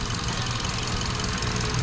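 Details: 2017 Hyundai Accent, still misfiring after ignition coil replaced: lumpy low idle with knocking, stumbling beat; one cylinder's coil gives no spark.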